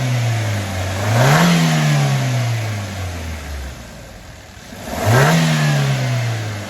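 Two quick rev blips rising cleanly and settling back to a steady idle with no stumble or pops; engine sounds smooth.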